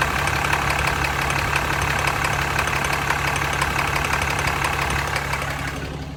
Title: 2015 ram 2500 6.7 Cummins ticking sound?